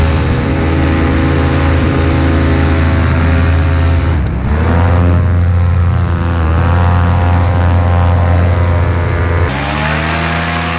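A coarse, buzzy drone sits over the engine note, rising and falling with the revs; there's an unexplained buzz somewhere in the running engine.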